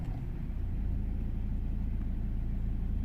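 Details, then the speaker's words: 2008 BMW X3, believed 2.0 litre diesel, idling after refitting a pipe whose clip had been fitted backwards. Smooth, even low rumble, no whoosh or hiss; sounds way better, normal idle. "Yeah, definitely sounding way better, completely different. Yeah, that's good."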